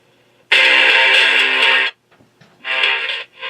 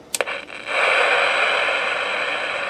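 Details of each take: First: Elenco FM-88K kit FM radio, second freshly built unit working (first unit hisses but finds no stations): music plays clean and strong with no hiss or static; normal FM reception. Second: Elenco FM-88K kit FM radio, owner suspects a wrong-value varactor diode or other wrong part: click then steady loud hiss with no stations received; fault not confirmed.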